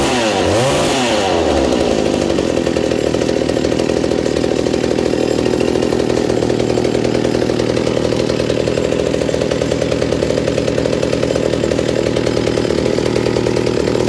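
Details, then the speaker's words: Reassembled McCulloch 790 MC101 two-stroke chainsaw with an ignition chip and a Walbro WB37 carburetor on a homemade adapter, bar and chain fitted: catches, then settles into a steady, even idle without hunting; sounds healthy and well tuned. "oh so as you see after putting the bar and chain on it the idle drops slightly but it's perfect right there the chain just bumps forward a little bit and everything"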